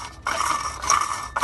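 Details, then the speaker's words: 2003–04 Ford Expedition with the engine running: repeating high squeal in chirpy bursts about twice a second from the serpentine belt drive, caused by a broken idler pulley. "it's definitely, when you hear that grinding, rattling, or squeaky noise, it's definitely gonna be one of your pulleys."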